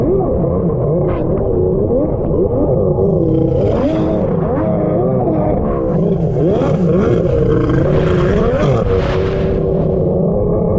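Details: Freshly rebuilt two-stroke X2 jet ski on the lake, still being broken in: an uneven, blubbery drone wanders in pitch without revving cleanly. It runs very rich despite leaning the carbs.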